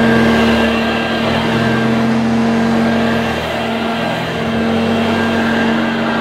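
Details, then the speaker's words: 1982 Hoover Junior Dirtsearcher U1108 upright vacuum: steady, even motor hum with constant whine, no rattles, surging or scraping; motor sounds fine, no strip-down needed. "that motor sounds fine there's no need for me to remove that motor and strip it down if the motor sounds as good as that does"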